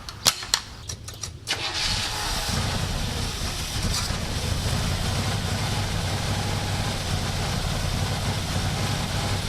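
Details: 1967 Buick GS340 cold start after a water pump replacement and coolant flush: ragged pops and stumbles before it catches after two seconds, then a rough idle; faulty ignition points, with the remanufactured carburetor's idle circuit also not flowing correctly.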